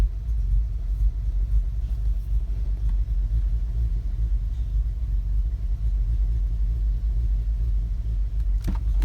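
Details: 2015 VW Golf R DSG, APR stage 2, idling in park or drive on the brake, cold or warm; low lumpy idle surging and sagging as if about to stall, needle jumping, drives fine; new NGK plugs, coils, oil, camshaft adjuster magnets didn't cure it.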